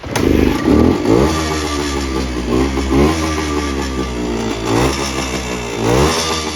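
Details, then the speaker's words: 1974 Suzuki TC125 Enduro two-stroke, 6189 miles on the clock, stood a while; the owner suspects the carb needs cleaning. Blipped repeatedly, it sags when the throttle closes and won't tick over. Engine won't idle. "I'll start it up, but it's not ticking over, so"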